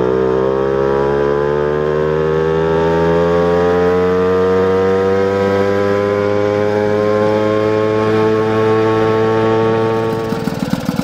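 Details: Moped with performance parts and Bing carburetor during jetting, jet changed from 76 to 74: pitch climbs slowly and smoothly at wide open throttle for ten seconds, then drops as throttle closes; no obvious stutter or four-stroking.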